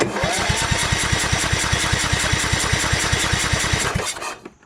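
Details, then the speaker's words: Craftsman YS4500 lawn tractor repowered with Kohler Courage 20HP and a new fuel pump, on choke: steady starter cranking with no firing, no fuel pulse seen at the pump line; cranks but won't start. "i don't know i don't really see any fuel do you"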